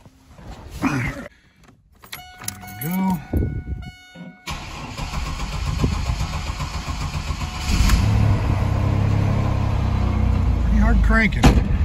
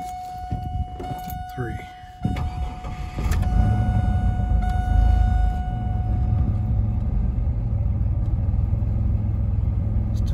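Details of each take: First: 2000 Chevrolet Camaro 3.8L V6 fuel-injected, 228,825 miles, cold start at 46°F after 32°F night: several seconds of cranking, then a steady, even idle without stumbling; running fine while chasing a hot-start issue. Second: 2000 Chevrolet Camaro 3.8L V6, hot start after 30 minutes with fuel pump primed twice first, new ignition module, coils, plugs and wires: brief stutter then fires better into a slightly rough idle; still slight hesitation or miss, owner suspects fuel.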